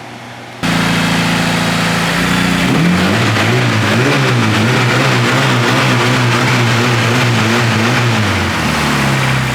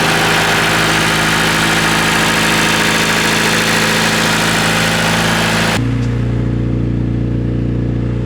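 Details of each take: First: Honda K-series engine swapped into a Nissan S14, first start-up after one heat cycle: catches and settles into a busy idle with light quick valvetrain ticking, head not yet getting full oil. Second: Honda K-series swapped Nissan S14 at first start-up, cooled by a dyno fan since no radiator fans fitted: loud fan rush, then an even, quick four-cylinder idle with no misses or knocks; runs well.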